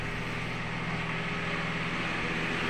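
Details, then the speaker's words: Daihatsu Xenia, AC previously not cooling (only air blowing), AC condenser fan now switching on with AC after thermistor and expansion valve replaced; compressor engaged; steady even whir and airflow over idling engine, fan running normally. "kipas sudah aktif kemarin kipas tidak aktif ya ini sudah aktif pada saat kita switch on"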